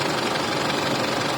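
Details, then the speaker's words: Isuzu D-Max diesel that a mechanic says has a worn engine (loose piston rings), restarted after the engine cooled. Steady even diesel rattle at idle with no stumbles or surging. Normal idle. "รถนะอันนี้ก็เป็นเครื่องเดินก็เดินเรียบเลยครับ"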